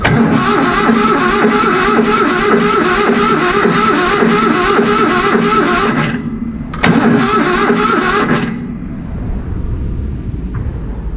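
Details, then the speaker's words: Vintage Hydra-Mac mini skid steer with a low battery and filthy ignition points barely opening: steady cranking at about 3.5 beats a second that never catches. After the points were cleaned it fired right up. No start from dirty ignition points. "The battery was low. Cleaned up the points on this thing and it pretty much fired right up."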